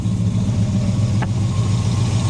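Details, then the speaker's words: V8 just restarted after failed distributor was fixed, timing around 20–25°; steady, even low rumble with no misses or knocks, idling smoothly and happily. "Hello, look at that. Geez, that's really happy straight off the bat."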